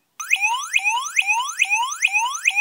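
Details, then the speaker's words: Piezo element driven by an Arduino square wave from PWM pin 5 directly, without the dollar-store autotransformer: a thin, fairly quiet repeating chirp sweeping upward about twice a second; weak output without the step-up transformer. "Not very loud without the auto transformer."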